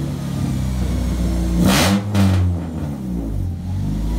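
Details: Honda Accord after replacing three broken header bolts that caused an exhaust leak rattle: steady low hum then a quick clean rev with no ticking or puffing; exhaust sounds sealed, normal after repair.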